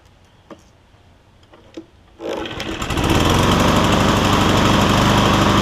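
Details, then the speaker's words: Cub Cadet SR621 push mower with a Kawasaki engine: a steady, even engine drone with no stumbles or knocks. The owner hears it take 30 seconds to a minute to find the right fuel-air mix, then it runs great. "it takes about 30 seconds to a minute for it to pick up the right rhythm or the right fuel air mix, and then it takes on off and runs great after that."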